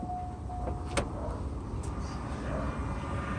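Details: Mercedes 600SL E-gas throttle control module after repair, fitted in a 140-chassis test car. At ignition on there is a short electric whir and click as the throttle actuators sweep and settle; a normal self-test.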